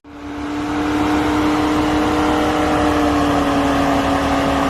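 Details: Mercedes GLE 400d diesel with A/C on in hot weather: loud, even roar with steady whirring under the bonnet, constant; large front cooling fan running hard, which the service center says is normal.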